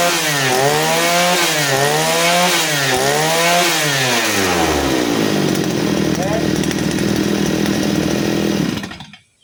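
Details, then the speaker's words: Side-mounted brush cutter two-stroke, carburettor mixture screw set correctly for string-line use: cleanly snaps up and down through several quick blips with no stumble or bog; throttle response is good. "Ketika kita gas, responnya mantap deh."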